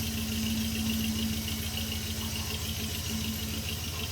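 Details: 2001 Jeep Grand Cherokee WJ 4.7L PowerTech V8 at cold idle: dull low-end knock about three times a second, going away within the first 2 minutes of running; owner suspects rod knock, unconfirmed.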